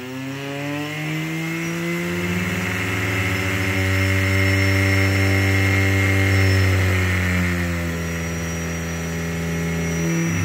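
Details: Brushless (BLDC) motor driven by an ESC after beep-confirmed calibration, speed set by potentiometer-controlled PWM (1–2 ms pulse); clean whine with evenly stacked tones rising and settling with throttle changes, smooth and steady: normal motor run with speed change.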